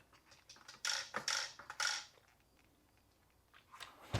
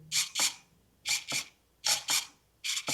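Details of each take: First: Crash-damaged steering servo on a Traxxas 1/16 Mini E-Revo VXL, hit at skatepark, tested on battery before metal-gear servo upgrade: short bursts of harsh gritty buzzing about every half second, then quiet; servo binding and getting stuck. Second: Traxxas 1/16 E-Revo VXL with a new Traxxas 2080R metal-gear micro servo replacing one damaged in a crash: short paired high whirs with clean stops as the steering sweeps and centers; normal servo operation.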